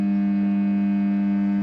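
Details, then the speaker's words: Ferrari BB Boxer (BBi, probably 1983 build), probably original fuel pump bench-tested with battery drawing water from a bucket: steady electric hum with a low note, pump spins but draws in and delivers nothing; something is blocked. "so you can hear something is happening with the fuel pump nothing is being dragged in and nothing is coming out of that"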